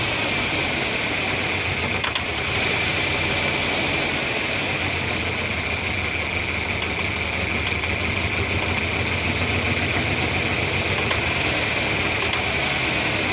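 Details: 1997 Ford Ranger 4-cylinder: steady idle with an uneven, slightly lumpy beat and some hiss, cause unknown, rough idle.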